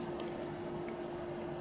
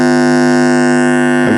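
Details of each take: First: TEAC PowerMax 60-2 PC speakers after recapping, powered on at maximum volume: only a very faint steady hum and no buzzing. Normal quiet output with faint residual hum. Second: TEAC PowerMax 60-2 1990s PC speakers powered on with volume turned up: very loud, constant low buzz with a raspy edge; speaker hum fault, cause suspected, not confirmed.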